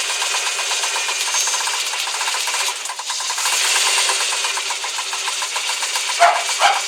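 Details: Cold start: light, quick ticking in the upper valvetrain, two or three a second, over idle from clattering hydraulic lifters.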